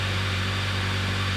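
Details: Water-damaged car being rebuilt, running after its SRS module was replaced and the SRS/ABS codes were cleared: a smooth, even low hum at steady idle with no misses or knocks; the engine runs normally.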